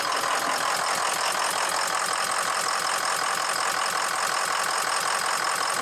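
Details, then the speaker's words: 6.0 Powerstroke diesel after oil cooler work, previously crank no-start: uneven, lumpy idle beat near three per second with smoke and a fuel smell. Cylinder 5 is weak at about 150 psi versus about 390 psi. Dead-cylinder misfire. "see if we can run relative compression again i ran it the other day and number five was definitely [Music] weak you hear it also yeah number five"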